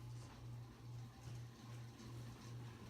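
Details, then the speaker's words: 1988-era 52-inch View ceiling fan, model V652 with original light kit, on medium speed: a low droning hum swelling and fading about twice a second with rough, scratchy undertones from badly worn motor bearings. "You can hear those horrible bearings."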